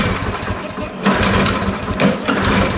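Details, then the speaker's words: Craftsman Platinum 190cc self-propelled lawn mower: fires in short ragged bursts, never holds steady; owner suspects clogged carburetor main or idle port, needing carb removal, cleaning and rebuild kit. "what I'm assuming is we have a clogged main port or idle port or whatever so we got to take the carburetor off and turn apart clean out the main orifices"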